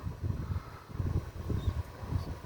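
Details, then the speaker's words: Midea inverter split air conditioner outdoor unit, loud enough to disturb the adjacent bedroom; added double rubber pads changed nothing. Deep pulsing buzz-rumble as the cabinet vibrates against a badly spaced support bracket: vibration rattle from the outdoor unit. "tava fazendo muito barulho como meu quarto é aqui dentro tava incomodando demais"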